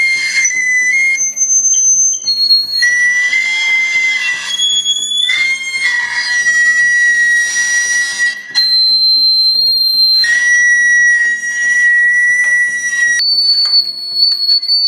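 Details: Laptop speaker whistling in high, flute-like tones that jump between steady pitches. A speaker fault is suspected but not confirmed.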